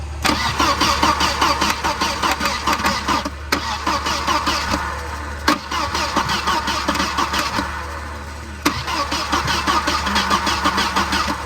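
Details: 1992 Volvo 940 wagon on a jumper box, starting fluid added: repeated cranking bursts at about two and a half per second that never catch. It won't start until the radio suppression relay is bypassed.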